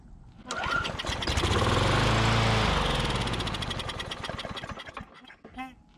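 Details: Curbside Briggs & Stratton Classic push mower engine; owner thinks debris in the fuel pickup tube cleared, and it now picks up to a steady chug on its own fuel, then eases down. Normal running.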